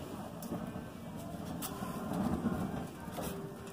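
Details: Homemade drip-feed waste oil heater ver. 2.2, burner door closed after flame established, oil stream about pencil-lead size: steady low rumbling roar with some crackle, settling into a normal burn on waste oil.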